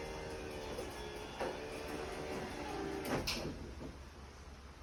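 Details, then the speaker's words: Garage door about 20 years old, after fitting a new Atoms DC 24-volt belt-drive opener and silent cast-nylon sealed ball-bearing rollers and rebalancing the torsion springs: soft, even belt hum, light roller rumble, faint knocks, no grinding or banging; much quieter. "good much quieter"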